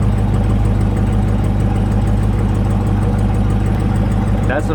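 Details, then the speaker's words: Brand-new 2020 Dodge Charger 392 Scat Pack Widebody Hemi V8 idling just after start-up, with a light quick ticking over the rumble; the lifters hitting the cam, described as a Hemi design trait. "what that sound is that you're hearing is the lifters hitting the cam and that's what they call a hemi"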